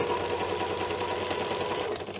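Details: Janome sewing machine running: a fast, rattly clatter with a clicky metallic edge, then it winds down; the bed is loose (adjuster screws retightened) and the moving pivots are dry and need machine oil.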